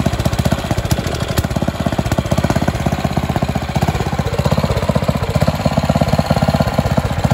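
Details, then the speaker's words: Karcher G2400 HB pressure washer, Briggs OHV engine, after carb rebuild, new fuel lines, spark plug, oil and air filter, slightly warm: steady even low putter at idle, no misses or knocks; running well. "so it seems like it's running pretty good"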